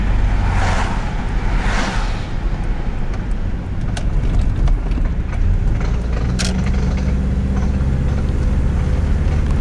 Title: 1998 subaru legacy noise when turning